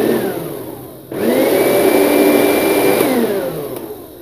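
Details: NOWAKE juicer-blender after its burnt motor was replaced and wired to the speed switch: whine rises smoothly to a steady pitch, holds even, coasts down cleanly with no grinding or rattle; healthy replacement motor.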